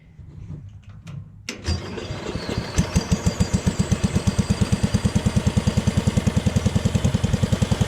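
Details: Jacobsen Chief 1000 tractor, Kohler single-cylinder, after fuel system repair, started with key: brief cranking, catches at once, settles into even steady low idle thump about 200 beats/min; runs and operates pretty good.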